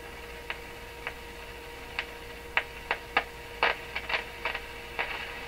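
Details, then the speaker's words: Rogers 11RA651 shortwave radio at full line voltage on outdoor antenna, 6F6 output tube: irregular sharp clicks about two a second over low hum, no motorboating; owner suspects something breaking down inside the set, unconfirmed. "Okay, so that clicking, that's suspiciously like as if it's from the radio."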